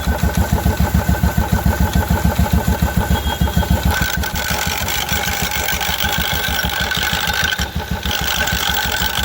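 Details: 2016 Royal Enfield Electra 350, clutch cover opened: steady single-cylinder thump at idle with a loose metallic rattle from the clutch side; worn primary drive bearing and gear.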